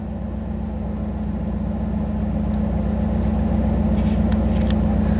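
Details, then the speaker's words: Chevrolet Camaro IROC-Z barn find with a new engine, OBD1 scan tool plugged back in: idle climbs from about 600 past 900 rpm and gets louder, no knocks; the scan tool's connection makes the ECM raise idle speed. "all right just plug the tool back in and it's starting to pick up the speed again"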